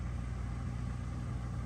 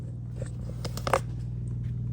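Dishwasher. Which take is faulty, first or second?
second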